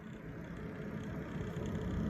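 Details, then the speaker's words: PC liquid cooler (AIO) pump, all brand new: steady low whirring hum with faint buzz rising slightly, noise persists with fan removed; pump noise, cause unknown. "I don't know why the IOP pump it's making this noise everything's brand new"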